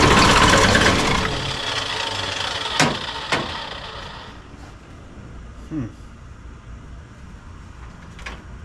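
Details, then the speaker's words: 1986 Ford F350 diesel after replacing the leaking fuel return lines: the engine catches loudly, then stumbles and fades with isolated pops and coughs. The owner suspects air in the new lines, or possibly a poor signal to the pump. "Well, I did replace these lines, so it's probably got a bunch of air in it."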